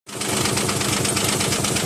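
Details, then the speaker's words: Nissan Maxima J30 with a VG30E engine at idle: a fast, even ticking over an unstable, lumpy idle. Owner suspects a clogged injector, or hydraulic lifters or a rocker arm causing the tick; the cause is unconfirmed. "сейчас работает на холостых, нестабильная оборота, это или забита форсунка, или что. Но самое главное, что что-то цокает двигатель."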